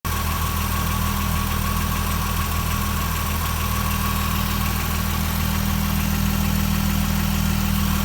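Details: Jaguar F-Type V6, 8,000 km, cold idle: a faint, fairly even light knock at about 200 per minute under a steady engine note, heard low on the passenger side (LHD). It fades after a few minutes; owner guesses piston slap.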